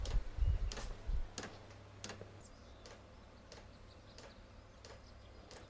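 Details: A Chinese diesel heater with a 6-metre extended exhaust into a DIY oil-drum sand battery gives faint clicks about every 0.7 s with no burner roar. The pump feeds but it fails to ignite after smoking; the owner suspects soot or carbon blockage, unconfirmed.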